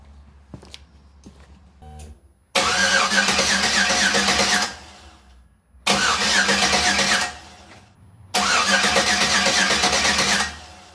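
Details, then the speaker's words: 5.3L LS-swapped S10 Sonoma at its first start, with the fuel pump and starter working: three long cranking bursts with a steady starter churn near three beats a second never catch; crank no start, cause not confirmed. "well nothing came dripping out but uh obviously something ain't right because it won't start"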